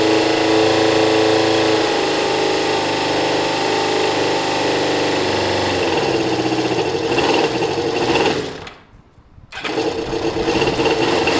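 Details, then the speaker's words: Kawasaki ZL600 twin after rebuilt and balanced carbs, a valve clearance adjustment, new OEM-quality coils and a coolant top-up, on about 3 L of fuel (reserve) and still warming up: a quiet, steady, even idle with no exhaust air leak, hiss or puffing; normal idle. "uh the bike needs a couple of minutes to warm up it's uh significantly quiet ear guys you can't hear any air escaping from the exhaust it's great news you can just hear the engine the engine sounds great"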